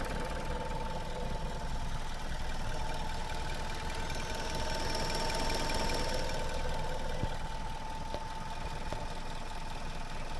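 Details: Suzuki Swift Sport 1.6 petrol, built 11/2014, 25,000 km, warm idle: steady low hum with slight unevenness but no knock or tick; normal for this engine, same as other Swift Sports, light gearbox noise normal.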